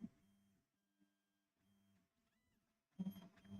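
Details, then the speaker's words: Old TEVO Tarantula Pro 3D printer during bed leveling, untouched before rehab: stepper motors buzz in short stop-start moves, with a brief high squeak from the wobbly Z-axis lead screw. "oh listen to that thing that is that wobbly lead screw I don't know if you can hear that or not"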